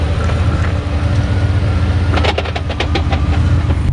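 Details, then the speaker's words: Fox-body Mustang with budget turbo 302 GT40 build, about 500 hp, broken T5 manual transmission: irregular loose metallic clatter bursts over low drivetrain rumble while limping to garage; owner guesses broken input, third gear and countershaft teeth; quiet with clutch pressed. "We ended up breaking Dad's T5 transmission. It sounds like a box of bolts when you actually drive around a little bit with it naturally because there's probably teeth all over the bottom of the transmission."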